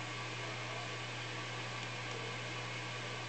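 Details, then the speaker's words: High Octane valve guitar amplifier at rest after its heaters were elevated: a steady low mains hum with faint hiss. 120 Hz ripple is down about 6 dB and the higher harmonics have dropped, but it still hums too much. "maybe the humming has become slightly more smooth as a result of these higher harmonics dropping off and maybe slightly less less loud he just has a kind of sunk into the kiss me a little bit but it's still humming much more than I would like"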